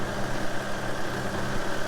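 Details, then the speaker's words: 2013 Lexus hybrid SUV with check engine light, codes P0300, P0302, P0304 and a noise; rat droppings under hood point to a nest: low idle with uneven, lumpy throb rising and dipping irregularly; engine misfire. "the customer's complaint is they were driving along and the check engine light came on, they started misfiring and hear a noise."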